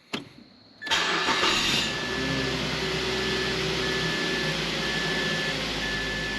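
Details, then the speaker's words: Mazda 3 after replacing two engine motor mounts (original transmission mount kept): short crank, quick catch, steady even idle with no buzz or rattle; vibration through floor, steering wheel and shifter gone; smooth healthy start. "Immediately noticeably smoother. I was feeling the majority of the vibration through the floorboard and through the steering wheel, and probably also through the shifter knob, I would say."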